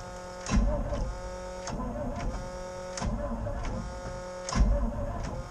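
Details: 1988 GMC 6000 truck, hard start with a booster pack: the starter drags the engine round slowly in labouring pulses about once a second and it never catches. Long crank, no start, and the owner worries it may be flooded.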